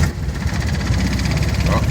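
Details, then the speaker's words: Argo 8x8 diesel on a frosty morning right after glow plugs and a cold start: deep, lumpy idle with uneven beats, smoothing when idle is raised; rough cold-start idle until warmed up. "she's a bit rough. Let's give it a little bit more idle. That sounds better."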